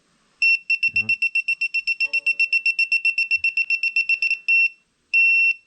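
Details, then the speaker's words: Propane leak detector on an RV hot water tank bench test: rapid high beeps about five a second, then longer solid tones, near a fitting; signals propane leak, goes green in fresh air. "then you get it back over here where the fresh air is and it goes green again that's a pretty cool device"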